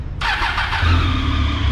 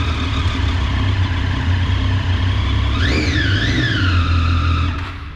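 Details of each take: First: High-displacement motorcycle with 53,000 km that died while riding and would not restart, battery fully charged: the starter cranks it heavily with an uneven, lumpy beat because compression is very low, so it does not catch. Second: Daytona motorcycle cranked: even, steady cranking and smooth running with quick rev rises, a normal start compared with the heavy, irregular crank of a bike with 53,000 km that died while riding.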